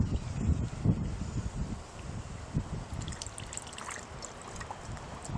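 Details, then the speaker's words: Shot lead-acid car battery being restored, emptied and cells filled with a baking soda solution: steady fizzing and trickling gurgle with soft pops from the cells as the solution reacts, bubbling heavily. "Now the battery is empty, okay? It's going to bubble up and all kinds of havoc. I don't know if you're going to be able to hear this, but it's bubbling like crazy."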